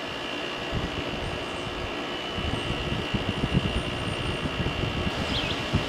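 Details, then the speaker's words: 2001 GE Quiet Aire air conditioner after fan motor bearing replacement, LG compressor just switched on: loud steady drone with high whine and rattly roughness, noisier than remembered. "all right let's turn the compressor on hmm yeah this is an lg hero compressor i don't remember being that noisy before"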